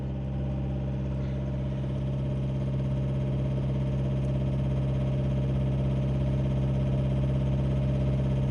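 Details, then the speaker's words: Mitsubishi Triton diesel with morning hard starting, fuel cut and code P0118, injection pump learning at zero, scan-tool relearn running: steady loud gruff idle, engine sound changes completely; rough noisy running during injection pump relearn. "الان البرمجه هاي تنعم صوت المحرك يا حبايبي اللي يشتكي من خشونه بصوت المحرك نلاحظ لان مجرد ما اعطيناها امر الان ما بعرف اذا الصوت واضح عندكم صوت المحرك يختلف كليا"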